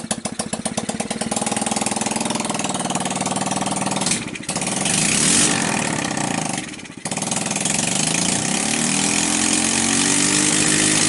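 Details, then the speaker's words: Sunl 110cc ATV on choke, fired from a portable CDI box with a fresh carburetor: a fast, even idle with a steady airy hiss; owner suspects a plugged crankcase line pressurizing the crankcase. Loose head bolts had caused the no-start. "so there we have it I don't know if you guys can hear that hissing sound that probably means yeah my um my crankcase is also plugged up"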